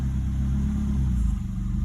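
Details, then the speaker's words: 2011 Nissan Altima after ignition coil replacement for a cylinder 3 misfire (P0303): steady low rumble, no stumble or skipped beats when put in drive and loaded; smooth running, no misfire. "Still smooth. Put some load on it. Still running great."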